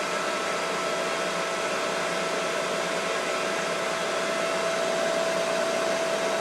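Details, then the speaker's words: Mikini 1610L replacement inverter-duty AC motor on a Hitachi VFD, slowing from 120 Hz full speed back to about base frequency: even rushing fan noise with a steady mid-pitched tone, no knocks or rattles; runs smoothly and healthy. "motor and then we're back to uh base frequency more or less so I guess it didn't fall apart or anything that's good"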